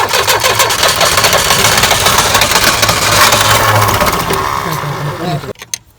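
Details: Tata Sumo direct-injection diesel cold start after long standing, after bleeding air at injectors: cranks, catches and settles into a steady clattering idle for several seconds before cutting off; runs evenly.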